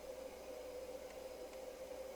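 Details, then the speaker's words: Actron PE-301 8-track player running a cartridge, drawing 3.9 W, tracks one to four switching: low, steady mid-pitched hum with faint even rush, no wow, squeal or clicks; tape transport runs normally. "and I can hear the tape moving and we're only consuming 3.9 Watts track one bulbs lit up track two three four back to one seems to be working"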